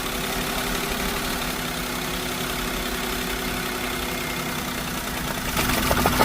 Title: SUZUKI wagonr engine missing/misfire/pick up problem...! #car #carservices #engine